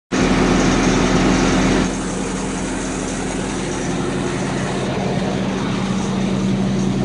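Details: Toyota engine at idle with an uneven low rumble and a faint irregular beat, about three or four per second; abnormal idle noise, cause unclear.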